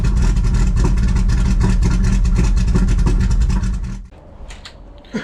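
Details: Honda Civic wagon running again on pump gas, still needing adjustment: steady, even low rumble with a regular beat about three pulses a second, then shuts off; idling normally.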